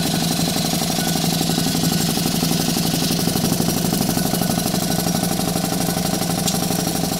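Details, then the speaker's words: Stuart 4 steam engine under live steam at 13 psi, cranked up in speed, exhausting into an old propane tank chuff pot: quick, even chuffing about four beats a second over steady hiss; running cleanly, normal. "we're gonna crank it up a little bit watch it run sure puts out a lot of steam it's just an old propane tank or chuff pot there"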